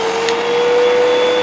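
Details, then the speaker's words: Hoover UH7103 vacuum after the first clog was cleared and filters refitted: loud motor roar with a steady high whistle on top, showing a remaining restriction from another clog deeper in. "It shouldn't be making that noise. There's some restriction down in there, so there's probably more stuff in there."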